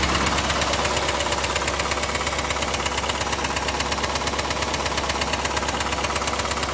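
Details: Chevrolet Camaro IROC engine at idle, mic moved around the engine bay: sharp even clack about twice a second under the general ticking; internal tick-knock, source not pinned down; glittery oil previously seen.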